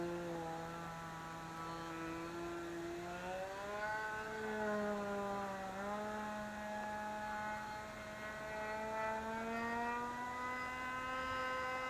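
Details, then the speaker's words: Vintage RC plane glow engine after swapping plugs: high, steady buzz climbing smoothly and holding with throttle, no sputtering or dropouts; normal running. "That sounds better without plugging it too. Yep. That's all it was, you had to swap plugs. See? Yep. Now everything's fine."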